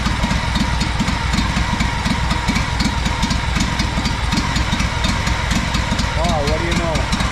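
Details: Honda 4118 riding mower, GXV 610 twin, bought non-running, new starter and two new coils after mice damage: uneven, popping idle with irregular stumbles and misses; sputtering and rough, cause unknown, muffler next suspect.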